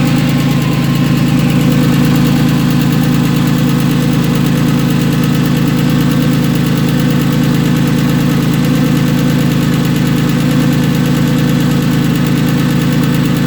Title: Porsche 996 M96 engine ticking noise